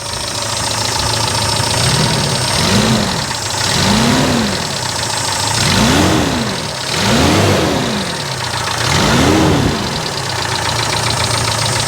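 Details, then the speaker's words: 1995 Daihatsu Feroza after oil pump replacement, 66 psi oil pressure: revs rising and falling with light top-end ticking under the running noise, probably lifters or rocker arms; belt sounds slightly dry. "Yeah, so it's got a little bit of top end noise. Probably just the lifters, the rocker arms."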